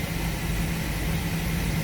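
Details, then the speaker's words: 2005 Chevrolet Express 4.3 at idle with air conditioning on for load, customer complains of heavy shaking, P0300 with misfire counts on cylinder 1: low, uneven rumble with unsteady beat; misfire suspected on one bank, not confirmed. "el problema por el cual está aquí en el taller es porque el cliente se queja de que el vehículo está muy tembloroso"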